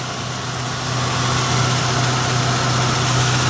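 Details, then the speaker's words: Mazda in Brisbane found running with almost no oil (leaking, maybe burning oil), after refilling to just over full line: smooth even petrol idle, steady low hum, no ticking, now so quiet — normal idle after oil top-up. "now that is what I'm talking about now that's so quiet"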